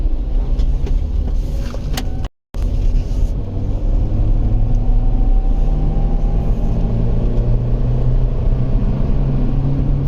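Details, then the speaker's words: 2011 Nissan Rogue, warmed up, cruising while running rough with check engine codes (MAF, A/F sensor, cat, evap); steady low drone under road noise from a really bad wheel bearing; wheel bearing rumble. "Oh, and that's right, we got that really bad wheel bearing yet."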